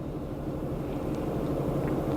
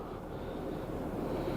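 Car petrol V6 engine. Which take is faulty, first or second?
first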